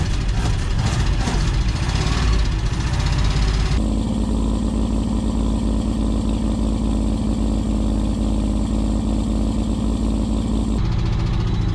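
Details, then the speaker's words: 1959 Oldsmobile Dynamic 88 V8, barn find started after sitting for years, idling roughly with throttle taps. A light, quick ticking rides on top from a noisy hydraulic lifter, apparently on bank one. Also an exhaust leak (broken bolt) and a misfire on one cylinder. "so I know that ticking comes across really loud on camera it's usually never as loud in person uh it definitely sounds like on bank number one"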